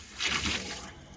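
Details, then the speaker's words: Repaired freeze-damaged PVC/PEX plumbing on pump system at 60 psi: valve turned on, short rush of water swelling then settling to a trickle, then cutting off; water flowing normally through the repaired line. "You can hear the water working. Turn it back off. Turn this one on. You can hear the water going, and you heard it cut off."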